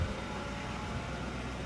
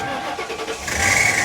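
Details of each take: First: 2004 Ford Crown Victoria ex-sheriff's car, V8 idling with the AC compressor kicking in: steady, even low hum with no misses, ticks or knocks, only a soft background whir; sounds healthy, as the mechanic said. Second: 2004 Ford Crown Victoria, ex-sheriff's department car, first start: a brief odd rasp on the first crank, then it fires right up and settles; cause of the start-up noise unknown.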